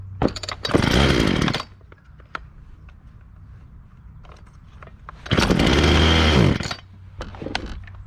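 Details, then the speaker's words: Homelite chainsaw picked up at the dump: two short high-rev bursts dropping back to a ragged, uneven idle; runs rough, owner thinks it needs a bit more fuel. "all right i think this chainsaw just needs a little bit more fuel i'm going to adjust the carburetor"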